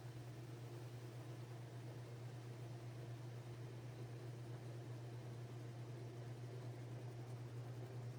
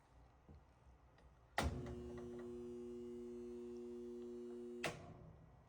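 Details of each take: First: Whirlpool/Roper top-load washer after repair of no-spin with humming, brake shoe and clutch area: steady low hum through spin, then winds down to a smooth stop with no clunk or jerk; healthy. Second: Whirlpool/Roper washer on drain and spin: motor hums steadily for about three seconds but never spins; something is jammed in the drain pump.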